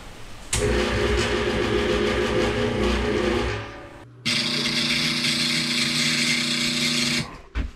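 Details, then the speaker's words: First MidNite Solar Rosie inverter, off-grid, trying to start a large Ingersoll Rand air compressor. The compressor motor strains with a droning hum, drops out, surges, then cuts dead as the inverter goes into oscillation and shuts down. "so as you guys can see it did not work well the inverter went into some really weird oscillation and then actually shut down"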